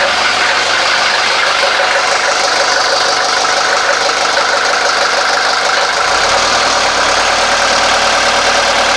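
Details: 1983 Mercedes 240D diesel running after refitting and greasing the throttle linkage: even diesel clatter with steady beat that settles after a few seconds; no misfire or knock, runs healthy.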